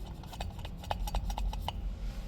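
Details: Caravan wheel hub turned slowly by hand, drum packed with brake dust and heat-corroded: uneven clicks and knocks over a dull rumble; hub bearing worn out, life ended.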